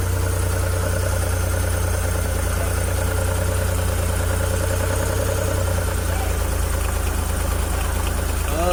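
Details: Suzuki F6A three-cylinder petrol engine, rear-mounted in a Multicab, gives an even, steady idle with a smooth low drone, then a quick clean rev blip near the end. It was hard to start from valves binding after oil starvation caused overheating. Sounds settled.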